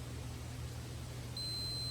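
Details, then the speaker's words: 1990 Yamaha 150 ETLD 2-stroke oil level sensor (6R3-85730-00-00), multimeter continuity test: a steady beep comes on as the float drops, so the pump-on switch closes correctly. The pump-off switch is suspected faulty, letting the tank overfill. "It turns the pump on, and then as this float rises back up to the top, that signal right there on the switch number 3 should tell the pump to quit pumping."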